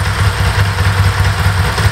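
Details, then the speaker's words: Bimota DB4 ie with Ducati engine, 10k miles, after a bit of warming up: steady, even low thumping idle with a light Ducati dry clutch rattle; healthy, standard form, everything works. "there you go that's the bike you can hear that ducati clutch dry clutch there she isn't there she is sounds well in standard form everything works"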